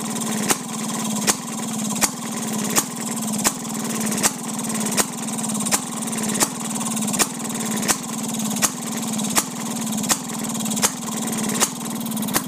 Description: 1929 Maytag Model 92 Hit and Miss engine running. Just finished restoring and fine tuning the carb.